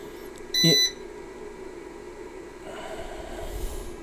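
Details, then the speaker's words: Trust UPS PW-4130M after a fan replacement, running with no AC mains connected and a partly discharged battery: one short, clear high-pitched beep in a quiet room. On-battery warning beep. "I don't have it connected to AC so it's not too happy about that but and uh there has been some discharge of the cell"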